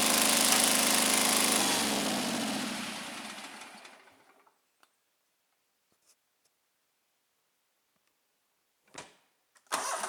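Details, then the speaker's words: Scag Turf Tiger 61 with Kohler CH25S, which shuts off when the blades engage; one coil wire pulled: runs rough and fast-pulsing, dies within four seconds. The other cylinder is dead, traced to a failed ignition coil. "well there's our problem right there very easy diagnosis this cylinder is dead for whatever reason the tractor's not even running on this cylinder"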